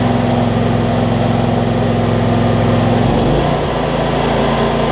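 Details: John Deere LT166 mower after sorting starting issues: small single-cylinder engine settles to an even, steady beat, then the note drops slightly and keeps running smoothly; healthy normal idle.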